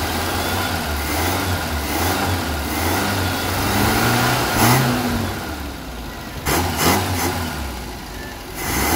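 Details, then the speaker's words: 1975 Vauxhall Viva HC barn-find with newly fitted Weber carburetor and Edelbrock intake, after running a 12-volt feed to the carb's idle cut-off solenoid: idle rises cleanly with each throttle blip and drops back evenly, no hesitation or misfire, "purring like a kitten"; normal idle and revving. "all right there was just purring like a kitten turn sounding lovely"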